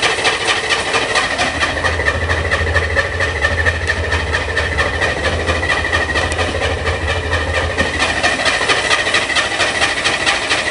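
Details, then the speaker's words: Corvair-powered Spyder on a cold, rainy day, with a four-barrel carb and choke closed, last driven eight months ago: a steady, rapid starter churn at about two beats a second goes on without ever catching. Cranks but no start; the owner suspects it is flooded. "i don't know what's wrong rather drive it and pull it in the rain chokes closed now it's flooded"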